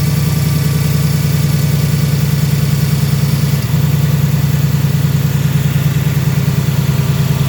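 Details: Brand-new 2018 Ford Mustang GT automatic (Gen 3 Coyote V8) on a dealer lot: steady idle with a fast, even light tick over the low rumble; owner believes the tick is normal for this engine, cause unconfirmed.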